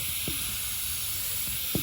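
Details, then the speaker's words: Evcon 3-ton R410A central AC condensing unit with a microchannel coil, not cooling and flat on refrigerant; steady, high, airy hiss with faint knocks, picked up by an ultrasonic leak detector. The coil leak was confirmed with soapy water bubbles. "it's very very loud remember it's an ultrasonic leak detector we're gonna need to get the soapy water all right we found our leak right there"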